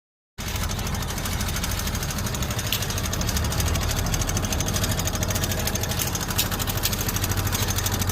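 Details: Suzuki Access 125 scooter after replacing the timing chain, rockers and camshaft: quick, even idle thrum at about three beats a second with no tapping or rattle from the top end. Sounds healthy.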